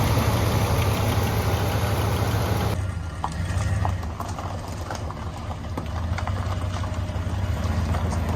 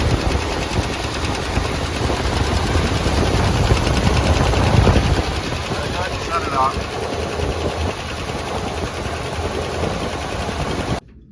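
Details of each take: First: Boat-tail Buick Riviera, about 5,000 miles showing, after topping up power steering and transmission fluid: steady, even low idle rumble, no misses or knocks, settling after an early louder stretch; normal idle. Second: Boat-tail Buick Riviera V8, showing about 5,000 miles, first start after long storage with valve cover off: rapid even lifter clatter over rough idle, quieting after seconds as oil reaches dry lifters.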